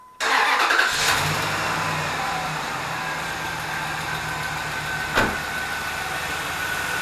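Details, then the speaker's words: 2004 Dodge Dakota 4.7L during an engine-flush treatment with repeated restarts: light quick ticking at idle after startup, now fading within about 30 seconds. It is a hydraulic lifter tick that began after hard, hot hill driving. "and you can hear still ticking but it seems to be uh getting less and going away faster so I'm just going to keep doing it over and over until um the ticking stops"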